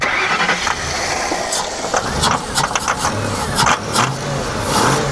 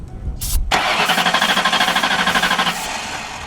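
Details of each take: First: Hurricane-flooded 1992 Ford Crown Victoria with 11,000 miles, computer connector corrosion cleaned, starting fluid sprayed: cranking catches and fires into an uneven early run with some clatter, then keeps running normally. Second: Hurricane-flooded 1992 Ford Crown Victoria, 11,000 miles, cranked with carb cleaner/starting fluid sprayed in: starter grinds steadily about three turns a second but never fires; owner suspects no spark, fuel heard, throttle butterfly not opening.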